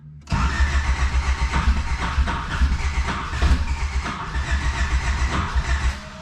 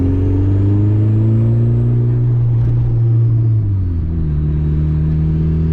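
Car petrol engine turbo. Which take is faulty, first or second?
first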